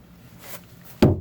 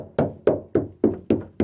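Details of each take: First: 40 ft Concord boat during engine mount replacement, mount timber struck: two heavy dead thuds with no ring; soft rotten wood under the engine, nothing solid coming out. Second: Knocks on a 40 ft Concorde boat's engine-mount stringer wood during mount replacement give six firm, dull taps about three per second with no hollow ring; wood here is solid compared with rotten sections.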